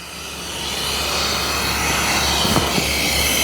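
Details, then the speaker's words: Tsunami Pure series regenerative desiccant air dryer, muffler removed, mic close to discharge; loud steady rushing hiss that builds then holds even; normal sweep air flow. "I'll get my mic up a little closer you can hear the sound of that sweep air and so you see the Mufflers do a pretty good job of removing that sound and mitigating it"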